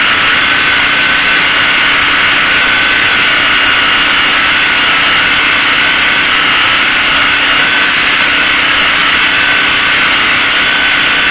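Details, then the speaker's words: Craftsman (Generac-built) generator test run after replacing the AVR and refitting brushes, checking for full power: constant unwavering drone with fixed hum and airy hiss, no surging or hunting, about 60-65 dB; holding speed normally. "runs about 60 65 decibels not a super noisy thing"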